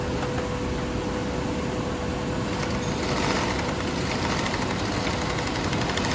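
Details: 8365 high postbed sewing machine, secondhand unit serviced (cleaned, repainted, repaired): smooth, even whir with a steady mid-pitched hum and no knocks or catches; normal running.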